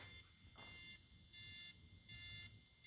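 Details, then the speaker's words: K-Force Micro 14 linear LED lightbar on a vehicle giving high-pitched beeping and buzzing pulses about every three-quarter second, then stopping by itself; unclear whether normal, possibly a fault, cause unknown. "it's actually beeping and buzzing on that particular pattern I don't know what that's all about that's I don't know if that's normal oh it just stopped"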